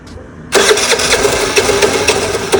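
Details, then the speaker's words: Piaggio Vespa 50 LX scooter with an old Keihin carburetor lacking an idle screw: catches after cranking with a few throttle blips, then sputters unevenly with irregular pops and no steady idle; owner suspects a faulty idle valve and fuel starvation. "Ну что-то уже подает жизнь. Еще пару раз газнуть надо."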